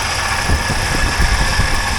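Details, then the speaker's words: 1980 Triumph TR7, after the exhaust leaks were fixed, heard through a stethoscope at the valve area at idle: soft, even thump with no sharp valve ticking; top end healthy, and the only noisy part is the alternator. "all nice and quiet so things are good there I haven't had it down to the bottom of the motor but I can't hear anything down there anyhow I'll put it down there and see if there any noise that's all all normal noises"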